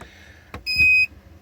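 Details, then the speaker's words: 17.5 Aquasport boat with a 70 hp Evinrude outboard that won't start and keeps draining its battery: loose battery terminals; moving a cable gives a knock, then one short beep as power briefly connects. "you hear it beeping because the power came on see if we can make a beep again I hear it I hear it clicking up there every time I move this"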